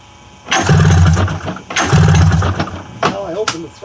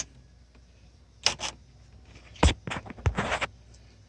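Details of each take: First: 1994 Polaris Indy 500 EFI snowmobile with fuel pump hot-wired: two pull-start bursts of quick chugging, about a second each, turns over but never fires; has spark, no fuel delivery suspected. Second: 1994 Polaris Indy 500 EFI snowmobile, fuel pump bench-powered from 12 V battery via jumper, ground touched: clicks then steady even electric whine; fuel pump works normally.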